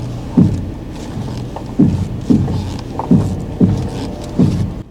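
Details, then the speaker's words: GMC Envoy XUV being rocked, fuel low: irregular heavy, dull thumps roughly once a second. Suspension clunk; the speaker attributes it to the springs popping on both sides, which is not confirmed. "that's the Springs you can feel the vibration from the Springs when they pop on both sides it's like a tempany"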